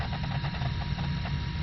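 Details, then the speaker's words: Traxxas X-Maxx steering servo while setting endpoints: at full lock a steady low buzzing drone that never eases, endpoint set too far so the servo fights the stop with too much power. Servo straining at steering endpoint. "you can hear it making that noise way too much power that's where people are messing up their servos"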